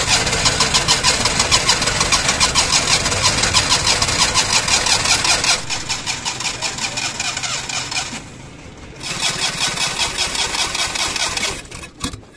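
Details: 2012 Suzuki Mehran with no ignition current: rough, uneven starter churning, then engine catches and runs; no-start traced to ignition current, with a blown head gasket pressurizing the radiator found afterward.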